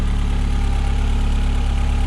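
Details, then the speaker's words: Astra H VXR after K04 turbo core replacement, warm engine: smooth, even low idle with steady pulse, no hiss, whistle or blowing; turbo spinning freely, no leaks or idle smoke, normal idle. "there's no worrying noises or anything like that sounds like the turbo spinning freely and the biggest thing for me is no smoke on idle"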